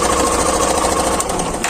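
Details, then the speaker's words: Hero Glamour i3s BS6 motorcycle at idle: fast, even sewing-machine clatter that doesn't settle; abnormal noise, source not pinned down, persists after parts were changed. "देखिए sound सुनिए कहां से यहां से sound निकल रहा है कि यहां से निकल रहा है कुछ पता ही नहीं चल रहा"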